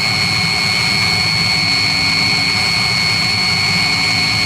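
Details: 16 kW Chinese diesel water heater warmed up, return water about 58 °C, drawing about 7–8.5 A: steady even roar with constant high whistle, no surging or popping; burning cleanly and running normally.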